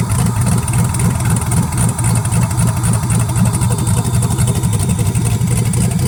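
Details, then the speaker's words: Truck after injector install, first start: loud choppy exhaust pulses at a lumpy idle with no muffling; the V8 starts and keeps running with no exhaust fitted. "Too loud. Too loud? Well, we'll have to put an exhaust on it, baby, but damn. That sounded good."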